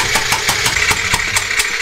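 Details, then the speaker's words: Second Suzuki VanVan 125 single during a compression test: even starter cranking with sharp, regular pulses about five a second. Compression reads nearly the same as the other bike (140 psi), fair and not bad. "वैसे भी, तो हम जानते हैं कि हमारे पास उचित मात्रा में संपीड़न है। यह बुरा नहीं है, आइए इसे ऐसे कहें, यह बुरा नहीं है।"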